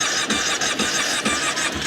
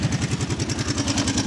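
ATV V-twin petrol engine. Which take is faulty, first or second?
second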